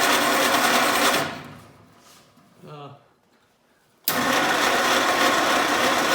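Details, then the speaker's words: 1948 Willys Jeep CJ2A flathead inline six: fast, uneven patter that cuts out, restarts and keeps running unevenly; rough idle from a vacuum leak, tape left under the carburetor base leaving a gap plus an open vacuum line. "So I'm shocked that this thing even idled at all, but you can see there's just a little tiny gap right there. I'm sure when it started pulling some vacuum, and then there's an open vacuum line that it had jus"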